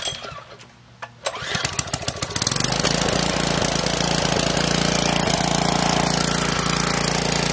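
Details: Briggs & Stratton OHV engine on a Karcher pressure washer (previously ran only on choke), started by recoil pulls, catches and settles into a steady, even beat with no misses or surging; runs healthy.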